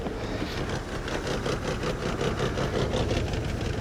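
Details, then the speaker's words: 1995 Mercedes E320 Cabriolet (W124) idling while the convertible top closes and locks: lumpy uneven idle, beats wandering two to three per second; owner expected it to run rough, cause not stated. "Now the car's gonna run rough."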